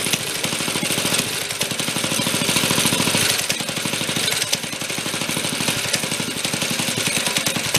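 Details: 1965 Corvair Monza SS go-kart built by Rupp, revived after years stored in a hangar: the small engine pops along smoothly at idle after main and idle speed adjustment, then goes choppy and falls flat when throttle is applied, a lean carburetor stumble.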